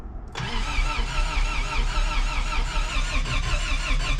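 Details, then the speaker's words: 1st-gen Toyota 4Runner 22RE, first start after engine rebuild with fresh oil and MAF fitted: steady cranking about 150 rpm, never catches; distributor suspected one tooth off. "Sounds like it's backfiring off the exhaust, so I'll adjust it all the way the other way. Maybe I'm one tooth off."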